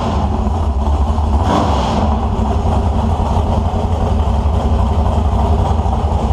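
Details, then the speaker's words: 1970 HEMI V8 on an engine stand, start-up, possibly going in a Cuda: deep, steady, even rumble with no knocks or misses; sounds really good and strong. "Well, that was my buddy John's HEMI motor starting up. That was the first time I got to hear it, and I got to share it with you guys at the same time I did. So it sounded really good and really strong."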